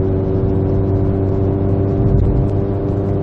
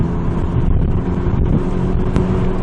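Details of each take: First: VW GTI on APR Stage 2 tune with APR downpipe and otherwise factory exhaust, in-cabin with windows up, gentle acceleration through 2500–3000 rpm: deep steady exhaust drone between 2800 and 3500 rpm, before resonator fitted. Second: APR Stage 2 VW GTI with APR downpipe after the factory front muffler/resonator was replaced by a Vibrant 17950 resonator, heard in-cabin at 2500–3500 rpm cruise: a steady low hum with window wind and no booming drone, almost stock-sounding.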